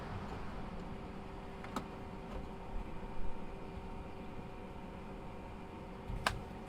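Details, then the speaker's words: Fresair 12V rooftop air conditioner installed in a RAM Promaster 2500 van, about 60°F outside. A soft, steady hum with an airy rush; the pump periodically kicks back on to push water up, and the unit is very quiet. Normal air conditioner running. "Every once in a while you can hear the pump kick back on as it pushes more water up here, but it's amazing. It's really quiet and it's doing a great job."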